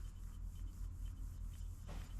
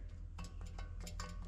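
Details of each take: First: Wheel hub spun by hand during suspension check: only a soft rub over low room hum and it stops quickly, a healthy, quiet wheel bearing. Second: Hub rocked up and down by hand to check for play: quick, sharp clunks about five times a second from a very badly worn wheel bearing with play; bearing must be pressed out and replaced.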